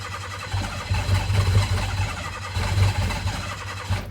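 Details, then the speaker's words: Rare Mitsuoka Yuga, repeated long starting attempts: starter churns with steady low pulses and the engine never catches; extended crank no start, owner suspects insufficient fuel and plans a fuel pump swap. "I feel like I'm just killing my starter over and over when I do this. I think it's just not getting the right amount of fuel."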